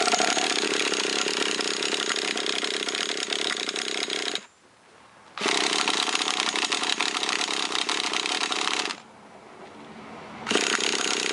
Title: car wont start